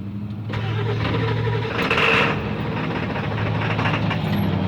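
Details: 1997 Ford F250 7.3 diesel, new fuel filter, starting fluid sprayed into intake: starter spins the engine at an even cranking rhythm but it never catches or fires; crank no start, owner suspects fuel pump.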